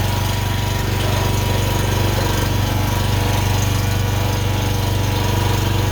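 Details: Honda generator after carburetor clean, oil change and fresh gas (old tank had water in filter), choke on: engine settles into a steady, even low drone with a regular four-per-second pulse, no misses or surging; runs healthy.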